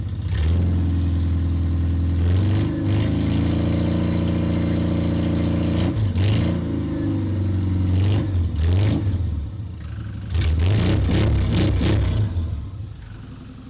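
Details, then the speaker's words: Restored classic Mini, first start in two years after wiring mods, full choke: engine catches and runs a fast, loud choke idle with a few rev blips, firing evenly while checked for leaks; normal cold start on choke. "Just give ourselves a bit of choke all the way out, that'll do. Do we have any leaks? It's a bit loud, I apologise."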